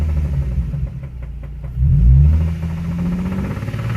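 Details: Nissan 350Z engine revving with heavy low rumble and rapid regular knocking through the rise; spun bearing, started as minor tick and became full rod knock.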